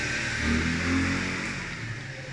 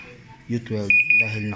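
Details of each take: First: Panasonic automatic washing machine after controller board repair (previously no power): low hum fades, then one short clean high beep on power-up; normal power-on beep. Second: Panasonic automatic washing machine after controller board repair for no power: steady high beep repeating about three times in quick pulses; error alarm because the front panel is detached.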